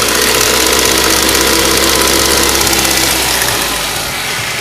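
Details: Ford Duratec HE 1.8 engine at idle: sharp, fairly regular ticking about three to four times a second over the idle; engine tick or knock, cause unknown, owner asking what it could be.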